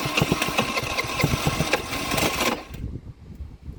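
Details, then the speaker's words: Baotian BT49QT 50cc Chinese moped, after tightening a loose, misthreaded screw: uneven stumbling firing that never settles, then dies; carburetor to be removed and cleaned, owner suspects old fuel. "no no it wasn't that easy so I'll guess it it could be old F fuel something like that but uh I I'll remove the carburetor and clean it"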